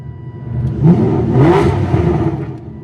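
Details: Aston Martin DB9 V12 after engine swap, at full operating temperature, first drive: smooth even rev climbs cleanly and drops back with no knocks, misses or rattles; healthy engine.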